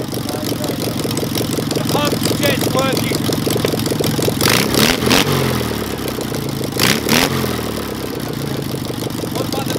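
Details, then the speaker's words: Air-cooled engine with a Solex 30 PICT carburettor at full throttle during adjustment: it runs lumpy with a loose, uneven beat and soft stumbles. Rich running from flooding, traced to a wrong needle valve in a service kit and fixed by refitting the original Solex valve. "there's a pound of fuel there man no wonder we're getting a leak and it's rich we've had a awful um excessive fuel pouring down into the carburetor"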